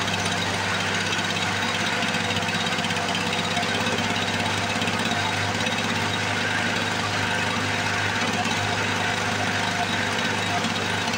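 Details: 1978 Lawn Boy commercial two-stroke mower, long stored with gelled fuel, started after priming with the petcock open: steady, even buzzing run with no surging, knocking or dropouts. Normal healthy running.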